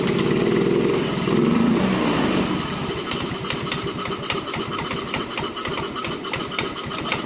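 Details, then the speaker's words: Yamaha Mio M3 125 scooter with an unstable idle, after a compression test: after a brief blip the engine settles into a steady, even putter; idle now normal, and the aftermarket exhaust sounds somewhat harsh. "kelihatannya ini bisa langsam dengan normal nanti kita lihat di scannya"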